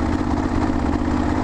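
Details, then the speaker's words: Kawasaki KLR650 single that suddenly lost power on the highway: rough, uneven low-rev chugging; any more throttle makes it almost choke out and it won't rev. Cause unconfirmed. "yeah if I roll a little bit harder on the throttle at all it just like starts to almost like choke out"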